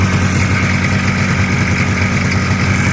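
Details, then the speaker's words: Choked cold start on a 1985 Yamaha Phazer two-stroke snowmobile after carb cleaning, over 100 psi compression per cylinder: steady, buzzy idle with constant low drone, no misses or surging; runs cleanly, tuning still being dialed in. "we're gonna go ahead and attempt to cold start here and see if she'll start up we're gonna choke it"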